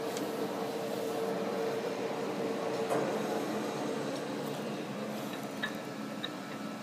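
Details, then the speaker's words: Monarch 60-inch T-lathe, model T-48, spindle at high speed: only a low, steady hum with no gear whine or clatter; headstock normal, very quiet. "I mean essentially you can hear it's very very quiet no gear noise"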